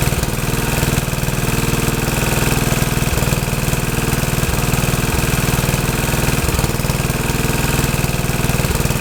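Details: Troy-Bilt tiller test run after rebuild; owner unsure of choke setting (full, half or none) but it starts and runs good: steady, even single-cylinder putter about four beats a second, no misses or knocks.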